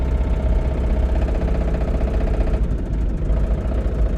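Heavy low thumping under a loud, rough-running engine with a deep knock tied to crank speed; a spun rod bearing.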